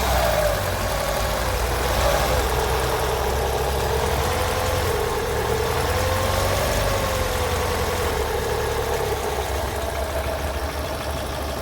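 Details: 2012 Chevrolet Sonic idling evenly with a steady low hum and no knock; noise stops with the poly belt removed and returns when refitted, pointing to the belt-driven water pump.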